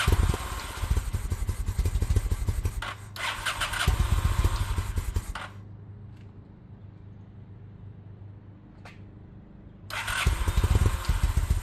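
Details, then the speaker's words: 2000 Honda Shadow ACE 750 V-twin, first running on fresh gas replacing old fuel. Uneven, lumpy pops that sag and nearly die before catching again; barely running from carb fuel starvation, not a spark problem. "Okay, so we got it running, um but you can hear that she's barely hanging on. Uh this is not a spark issue, this is a fuel issue."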